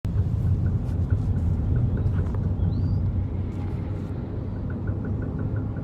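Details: 2009 BMW 128i driving in gear under acceleration: low rumble with light, fairly quick tapping from the rear that grows as throttle increases; cause unknown.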